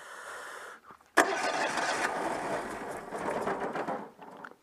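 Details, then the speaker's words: Citroën 2CV with suspected electronic ignition fault, cold engine started with some choke: fires, runs ragged and uneven about three seconds, then dies; hard cold starting, owner says he knows where the fault is. "on attend peut-être avec un peu de starter parce que le moteur est froid presque"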